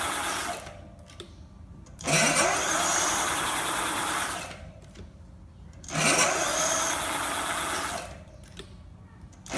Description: My hub motor is making a weird squealing noise during acceleration, especially when I am moving around 15 mph.